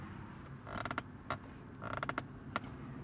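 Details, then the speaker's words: 2014 Mazda 3 at about 5,000 miles: the center armrest plastic started creaking after about 2,000 miles, giving short dry creaks each time an arm rests on it, with no engine noise behind. "The one thing that does piss me off is this armrest has started to creak now after about 2,000 miles."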